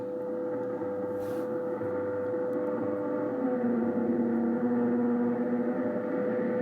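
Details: Ten-Tec Paragon 2 receiver tuned near 15 MHz WWV: a steady hum under the audio with a second tone stepping in pitch, about 100 Hz steps, audible even at low volume; owner suspects an audio ground loop.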